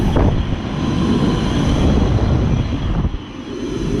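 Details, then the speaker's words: Snyder General 2009 two-ton heat pump outdoor unit at an apartment complex, running on a 97°F day: heavy, uneven low rumble with a brief dip, sounding really bad; loud rumbling noise, cause not found. "is that sound like this is during the time relatively good job that sounds horrendous"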